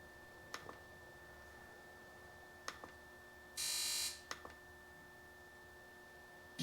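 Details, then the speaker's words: 2001 Sea-Doo RXDI, no-charge maintenance light, only 40 mph with slow acceleration, on battery charger: component activation test gives sharp relay clicks then short steady buzzes; fuel pump and RAVE solenoid respond normally; rectifier later found faulty. "Uh, fuel pump we know works. Rage solenoid. Okay. So, all the electronics are working."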